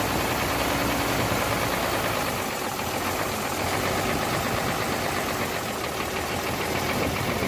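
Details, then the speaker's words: Hino J08C truck diesel at idle after overheating from a leaking water pump: loud, uneven idle with a ragged knock about four beats a second; noise from cylinders 1 and 2, back compression present; piston seizure suspected. "दो number cylinder में से और एक number cylinder में से आवाज आ रही है और बैक कंप्रेशन भी मैं आपको चेक करवाता हूं"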